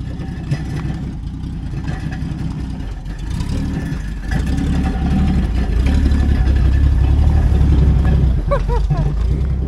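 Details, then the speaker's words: 1967 Plymouth Valiant two-door sedan, six-cylinder, bought as a parts car that didn't run when picked up, running on new battery: loud raw open-header rumble, uneven lumpy beat sagging and stumbling as if about to stall; runs horribly, rough idle. "hey it runs though well it idle not really right now kind of doesn't really want to oh yeah she's dying and this thing runs so horribly but it runs"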